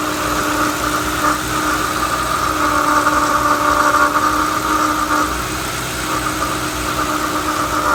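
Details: 2011 Ford Crown Victoria 4.6L V8 at idle: steady high whirring whine over the engine that never lets up; water pump bearing noise, with the pump found near failure on replacement.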